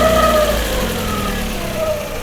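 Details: Hyundai Tucson on first start, warming with fan kicking on: a thin, steady whine over the idle fades in and out, from the timing belt tensioner; owner also suspects the cam lacks oil.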